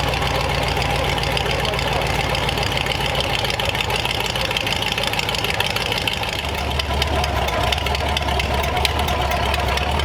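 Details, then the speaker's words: Replacement flathead V8 (35/6 block) for 1934 Ford on a run stand, freshly started, no coolant yet; loud raspy but even idle through open headers, steady firing, no knocks or misses, good oil pressure; normal running. "headers make it sound cooler than it is all right well we got a good oil pressure and uh everything else seems all right"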